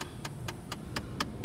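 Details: 2009 Chrysler Sebring, passenger-side dashboard: sharp, even clicks about four per second over a quiet cabin hum, triggered by the climate button. Suspected HVAC air door (blend door) actuator, unconfirmed.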